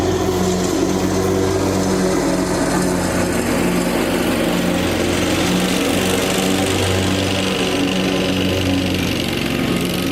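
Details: Lawn tractor after fitting an electric fuel pump to fix a fuel problem, cutting grass: single-cylinder engine runs steadily, pitch dipping and recovering as load comes on without dying; normal running under load.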